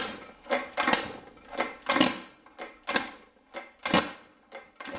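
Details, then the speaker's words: Scooter kickstarter, being kicked to start: about one kick a second, each a short rasping scrape with metallic ring instead of catching; slipping, so the ratchet or kickstarter gear needs replacing. "Похоже, что что-то проскальзывает и издает скрежет. Это значит, что мне нужно заменить либо трещотку, либо шестерню кикстартера."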